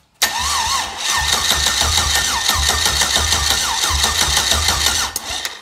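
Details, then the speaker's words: LS V8 in a Bayliner with Mercruiser bellhousing, 4.8 manual flywheel from AutoZone and early-2000s 5.3/6.0 starter: steady even cranking about three beats per second, no grinding; starter meshing correctly, normal cranking. "yep so it seems like it's meshing with the gear teeth correctly and works like it's supposed to"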